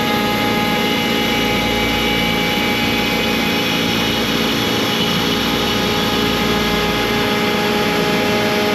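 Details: ShopBot CNC cutting 6061 aluminium door pulls with a 120° V-bit: loud steady spindle whir with rough grinding and uneven chatter, spindle audibly straining under heavy cut; extra clearing pass planned so the V-bit won't hit two aluminium sides at once.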